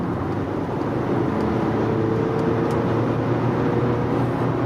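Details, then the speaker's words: Car with a newly installed refurbished turbo, now warm after running; the cold-start noise is completely gone, steady running with no whistle or rattle. Cold noise came from a carbon-fouled wastegate not closing fully. "so after the tuba warmed up we did at like six seven times if the noise is completely gone listen now"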